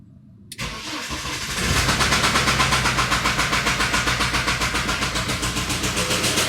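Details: BMW N47D20 diesel starting and idling: a regular hard knock, about four a second, above the usual diesel clatter; engine knock.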